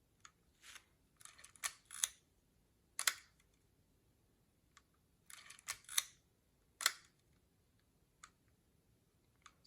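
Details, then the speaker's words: Mint, new-old-stock early Leica MP with M6 ISO dial, just back from Leica factory service: a dozen soft, crisp shutter clicks at uneven intervals, quiet, no drag or rattle; healthy, smooth shutter. "So that's the sound of the Leica service, fresh service. It's very quiet and soft. Of course, it's smooth."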